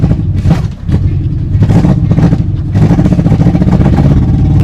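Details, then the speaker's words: Honda CRX project car idling fast near 1,500 rpm with plug leads in the wrong firing order; lumpy, uneven low thump missing beats, sluggish with no throttle response; owners first guessed slow timing — misfire from wrong firing order. "It's running like, it feels like, I'm guessing the timing is slow. Right, like it feels sluggish. Right, it's super sluggish."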